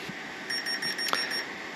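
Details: Ultralight electric motor throttle setup driven by a servo tester: quick run of about six short, shrill beeps from the ESC, apparently a safety warning when throttle is reapplied; cause suspected, not confirmed.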